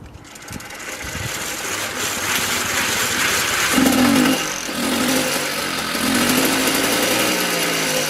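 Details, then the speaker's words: Mobylette X1 two-stroke after an engine rebuild, now fitted with the good jet from another moped in place of the drilled-out one, warming up. It buzzes high and raspy, revving and settling without cutting out. Now starts and runs properly. "And while it's running, I'm just going to let it warm up and see what happens. Okay, so this little bike is running very nicely."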